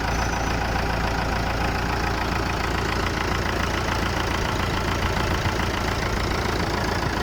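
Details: Massey Ferguson MF 290 tractor diesel after engine repair holds even clatter at a steady idle, no misses or heavy knocks; engine runs evenly.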